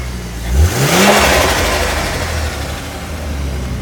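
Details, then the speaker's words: Modified turbocharged car at auction, pod filter dangling, front-mount intercooler, check engine light on: engine revs cleanly up and falls back, then a quick blow-off flutter on throttle lift; seems to be running all good. "Seems to be running all good, and yeah, there you go for the flutter goodness."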